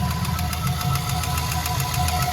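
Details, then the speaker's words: LS-swapped BMW E46 on its first test drive; revs sag well below idle, then a loud rapid knock, roughly six or seven hits a second, hammers over a low rumble, seeming to come from mid-block; owner hopes it is an exhaust leak. "Oh God! Oh God! That noise is so loud."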